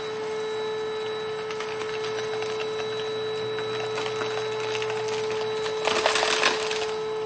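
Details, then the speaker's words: 1992 Panasonic Jet-Flo MC-9530 canister vacuum with power nozzle: steady high whine with hum underneath and brief rough crackle near end; worn motor that has seen better days. "the motor itself has definitely seen better days. And when I turn it off, you'll definitely hear it."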